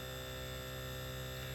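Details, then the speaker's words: Mitsubishi mini split inverter compressor during pump-down, suction pressure down to about zero: steady even low hum with a faint constant tone, the compressor revving up slightly, no knocks or rattles. Running normally. "it's pretty much down to zero you can hear the compressor revving up a little bit"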